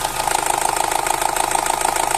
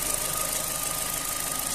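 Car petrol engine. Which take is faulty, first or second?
first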